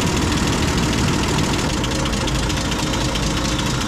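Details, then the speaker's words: M8 Greyhound armored car engine settled into a steady, even idle with no misses after the fuel mixture was leaned to where it idles happiest and idle speed was dropped, during distributor and ignition overhaul; normal idle. "that probably sounds a bit more appropriate turn it out until it starts to struggle start leaning it off the engine reps are picking up and it's just basically trying to find the fuel mixture of which the engine is idling the happiest"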